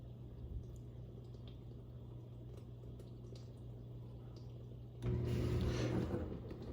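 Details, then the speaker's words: Dishwasher after removing a piece of plastic and glass from strainers that caused a loud humming noise, rinse-only cycle: low steady hum then water rushing in, no drone or rattle; operating normally after repair. "Yep. There you have it, folks. Operating as it should."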